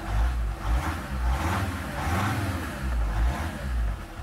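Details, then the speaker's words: Mercedes whose start error, caused by a discharged battery upsetting the immobilizer, cleared after moving the gear lever to neutral; then starts in park too, settling into a steady low rumble with a brief rev, no misses or knocks. "Когда повернули ключ зажигания, машина завелась. Потом попробовали завести машину, когда рычаг коробки передач был в паркинг позиции, и машина снова завелась."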